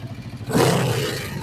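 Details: Kawasaki Vulcan 500 twin during carburettor synchronisation after valve adjustment: low even idle rumble, short throttle blip settling back cleanly, balanced and steady, carbs in sync; normal idle.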